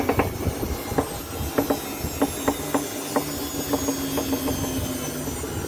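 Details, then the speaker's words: Electronic Dream Blue 6.8 washing machine on an empty high-speed spin: sharp irregular knocks and clicks over a steady hum as revs rise; no noise with clothes; tensioners and drum centering already checked, source not yet found. "Está haciendo un ruido al centro jugar. Cuando subo las revolucies empieza a hacer ruidol, ya le revisé tensores, centrador de tambor."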